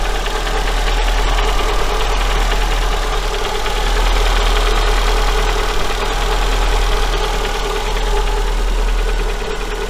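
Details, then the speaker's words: Daewoo Sens after engine overhaul, warm after about three minutes idle: faint even light tapping three to four per second, heard by stethoscope near cylinders 3 and 4; connecting rod small-end bushing knock. "Да, в общем, есть такий стучок. В общем, послушал своими наушничками в районе где-то вот здесь вот третий, четвёртый цилиндр получается."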